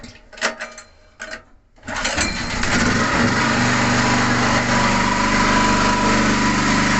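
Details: Portable generator started on propane gas without gasoline, after a couple of cord pulls: engine catches and settles into a smooth, even, steady run with no misses. Works well.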